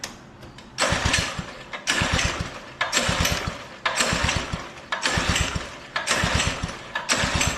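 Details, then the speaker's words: Old Doodle Bug DB30 minibike just after first start on choke with a newly fitted carburettor: the engine surges, rising and falling about once a second instead of holding steady; owner suspects it is too rich and may need carb adjustment. "a little too rich for your own blogger what old girl"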